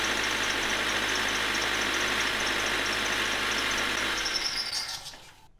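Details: 2000 Honda HR-V 1.6 VTEC (D16W) petrol idling, bonnet open: high pulsing squeak about four a second from the worn power steering belt, heard before belt replacement, then the engine shuts off.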